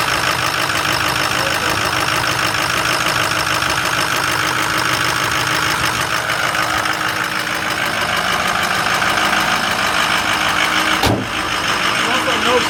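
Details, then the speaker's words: Diesel truck cold start after sitting three days: settles into a steady, even idle clatter with no misses or stumbles and no smoke; normal healthy cold idle. "at all and this is a cold spoke if I didn't mention that already no smoke"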